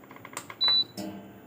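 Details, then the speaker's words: Bajaj Splendid induction cooktop with a no-heating fault, tested from standby during repair. A few soft clicks, then one clean high beep lasting about a quarter second: normal pan-detection sound. "अब गौर से सुनिए, इसमें बर्तन sense करने की आवाज़ आ रही है।"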